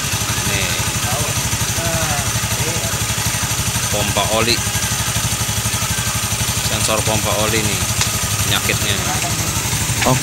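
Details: Honda Beat FI (Beat Pop) scooter that stuttered and lost power at speed, after replacing the faulty oil sensor: the engine idles smoothly with an even, steady pulse and no stumbling.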